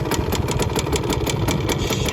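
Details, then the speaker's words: 1971 Suzuki TS185 two-stroke, first start after years of sitting, still needing choke, with an exhaust leak. The idle is uneven and popping at about seven beats a second, lumpy and stumbling. It is set too low and dies if throttled down: rough idle. "it will not let me idle though it's going to die if I give it down to idle so I'm just kind of burning some stuff off right now letting it do its thing so it is idling um probably a little too low doesn't sound super at idle"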